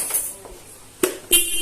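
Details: Car horn fitted to a small-cc Honda automatic scooter whose battery supplies only 3.5 A at 12 V, replacing its worn-out original horn: short, loud, steady blasts with a strong clear tone over a quiet background; horn works normally.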